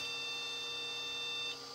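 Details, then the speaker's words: Mini Pentium arcade/jukebox PC with the noisy floppy drive disconnected: steady high-pitched beep for about 1.5 seconds at power-on; POST error beep, cause suspected, not confirmed. "it's beeping which is better than not beeping"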